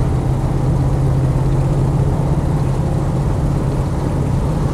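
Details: Land Rover 90 CSW V8 driving on the road; the car feels solid with no clunks, squeaks or rattles. Deep, smooth V8 rumble holding steady. Normal running. The power steering pump or belt is said to squeal sometimes when stone cold.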